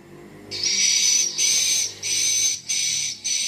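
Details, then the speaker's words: Piro MW-89 8-channel swiftlet amplifier, player 3 (channels 5-8) previously silent, now tested on AC mains power: five clean, shrill chirp bursts with no hum or crackle, so the channel now plays; power supply suspected as the fault. "Oke Alhamdulillah untuk player 5678 menggunakan e listrik AC e sudah bisa berbunyi ya"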